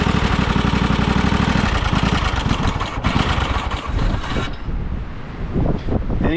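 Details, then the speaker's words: John Deere Scott's 20/48 riding tractor with trigger wire found unplugged: starter cranks the engine in an even chugging rhythm but it never catches; no fuel moving yet, fuel arrives after a little choke but it won't stay running. "fuel? No fuel moving."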